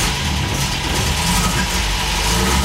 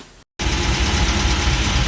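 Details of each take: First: Old car started cold outdoors on a hot day, not warmed up: catches and revs up and down, a bit rough while cold but pulling cleanly; owner says it runs pretty good but needs warming up. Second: Old MG, smokes heavily but runs well, at idle: light, fast, even ticking over the engine note. Owner suspects valves need adjusting, unconfirmed and possibly normal.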